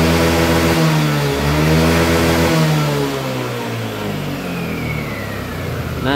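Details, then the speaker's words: Yamaha Lexi 125 scooter after fixing the fuel injector that caused held-back power: engine revs smoothly up at full throttle and drops back without hesitation; throttle now free. "sekarang dia sudah tidak nahan ya untuk gasnya sudah lepas semuanya jadi tidak ada nahan-nahan untuk gasnya"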